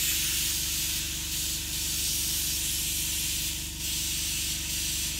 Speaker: happy of how it's going and it's not crackling it's not popping it's not making any sounds and that's really what you're going for